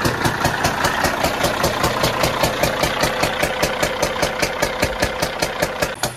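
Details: CAT diesel in a Peterbilt truck idling with a sharp pop back through the intake, about two and a half times a second; the fault was found at the number four exhaust valve, and a bad camshaft was suspected.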